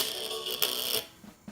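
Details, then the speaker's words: 1998 iMac G3 internal speakers with disintegrated foam surrounds, before replacement, playing music: thin, crackly sound with a buzzing rattle on every louder note as the cone flaps loose; blown speaker rattle. "yeah that rally noise that terrible crash rattling noise you're hearing that is a sad phenomenon called drive a rock"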